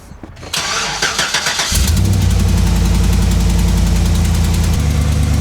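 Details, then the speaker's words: 2011 GMC Sierra 1500 swapped to a 6.2L L92 V8: cranks, starts and idles with a quick sharp tick over the rumble from a suspected blown exhaust manifold gasket (cheap non-MLS gaskets) after a full-throttle pull. "I got an exhaust leak today, so we're gonna just do a quick exhaust manifold gasket replacement."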